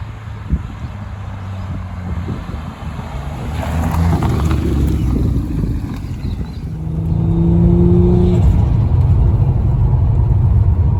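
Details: Ford FG Falcon G6E turbo six with centre muffler delete and intake upgrade, recorded from outside as it passes in wind: deep throaty exhaust rumble rising smoothly with revs; sounds healthy and even.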